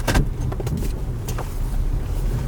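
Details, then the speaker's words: 4th-gen Toyota 4Runner reversing in driveway after new front sway bar bushings: low, even rumble with a couple light ticks and no front-end clunk, where 5–10 clunks were usual before; repair appears to have fixed it. "Those sway bar bushings might have been it, because that's the first time I've backed up in my driveway and not had a single clunk. I'd have had 5 or 10 by now."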